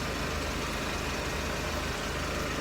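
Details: Mercedes SLK R170, heard from underneath on stands; the owner suspected an exhaust leak from a raspy sound and occasional tinging, later finding a failed central mount: even idle rumble with steady pulses and no hiss or puffing at the silencer joint; no leak there.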